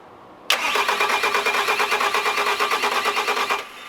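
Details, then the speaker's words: 2007 Bobcat S185 with Kubota V2003 turbo diesel, long unused, after bleeding fuel up to the injection pump: starter churns at about three compressions a second with no firing. Crank no-start. "that's because we couldn't get it started last night and I we went through a bunch of the systems and the shut off and everything to make sure everything's working"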